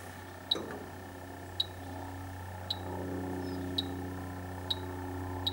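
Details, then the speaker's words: Dry air generator that had lost its refrigerant: leak detector beeps about once a second over a low hum near the evaporator coil, where a leak was found; leaks also at compressor sump plug, solenoid and ball valve. "It's in that area there, I think. Well, it's definitely something there."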